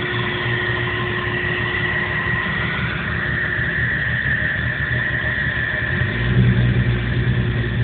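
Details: 1997 Jeep Cherokee running badly with no codes or engine light: uneven lumpy idle with deep unsteady beat and rougher surge near end; rough idle, cause unknown.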